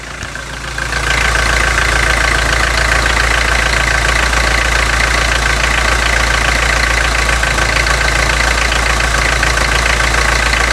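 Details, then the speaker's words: 2003 Toyota Hilux 3.0 naturally aspirated diesel, warmed for several minutes after Bardahl Prolonga additive was added: an idle with a steady knock about four times a second over the clatter, the noise apparently improved. "o motor já está alguns minutos aqui esquentando certo Aparentemente o barulho melhorou"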